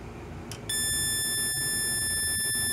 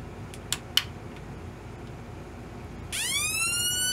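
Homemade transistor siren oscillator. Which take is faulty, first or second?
first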